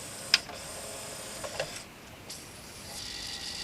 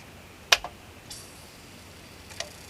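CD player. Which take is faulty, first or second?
first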